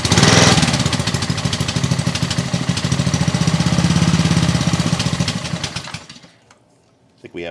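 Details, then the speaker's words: Trash-picked Ryobi 3100 psi pressure washer, Honda GCV190 engine, made January 2018, first pull-start on choke with gas and oil: uneven lumpy chugging about three firings a second surges, sags and dies; suspected carburetion issues. "have some carburation issues"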